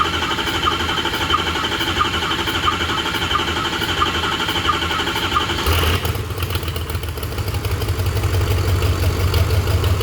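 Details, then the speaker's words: 6.0 Powerstroke diesel swapped into a Mustang, which died after a 5300 rpm burnout; right cylinder head was pulled. With the right oil rail removed earlier, long cranking is needed to rebuild ICP pressure and fire the injectors. It cranks steadily, then catches and runs evenly. "it's going to take quite a bit of cranking to rebuild the ICP pressure in order to fire the injectors to get this thing started"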